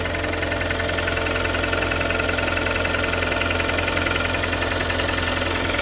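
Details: Kia Sportage 3 2.0 G4KD, under 105,000 km, cold start before overhaul: busy, even metallic tapping about three to four knocks a second over the idle; engine knock.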